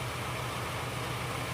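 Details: Ford Fiesta 1.0 petrol, misfiring after impact to the underside of the engine: uneven, lumpy idle with a stumbling low pulse; one cylinder misfiring, ignition coil suspected burnt.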